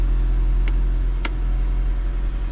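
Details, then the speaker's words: Audi B8/B8.5 electric parking brake reapplied after brake pad replacement, engine idling: steady idle drone with two short sharp clicks about half a second apart as the motor extends and engages; brake holds the car, normal operation. "all right so the first time you could hear it extending and then I pushed it again and now it's on"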